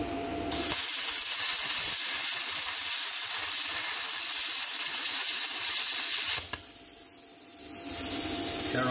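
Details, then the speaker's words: Hynade PLC-50DP budget pilot-arc plasma cutter on a 110 V 20 A circuit, set to 30 A with about 45 psi air, cutting 3/16-inch uncoated mild steel: steady, even hiss and crackle for about six seconds, then drops off; clean normal cut. "let's give it a shot i've got the machine set up it's on 110 volt 20 amp circuit i've got it set at 30 amps and i've got my air pressure set at about 45 psi so let's see how it goes"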